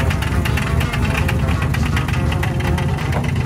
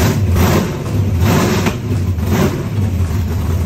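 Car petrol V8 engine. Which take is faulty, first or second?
first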